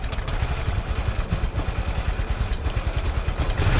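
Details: Nearly new scooter stalled after riding through floodwater, during servicing, water pouring out of it as it is cranked: uneven, sputtering low putter with irregular pulses and clatter; rough running from water ingestion.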